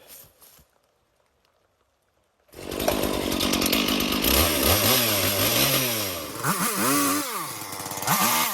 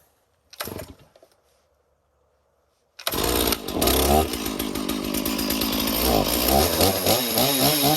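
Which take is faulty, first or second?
second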